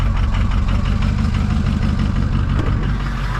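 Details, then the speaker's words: Diesel vehicle that had been sitting, just jump-started cold with a Loki Thor J3250 pack on a weak battery: deep steady low rumble with even diesel clatter, idle still low with glow plugs on, expected to rise. "now the idle will end up kicking up right now the glow plugs are still on so that's why we're only registering at the uh voltage that we got there"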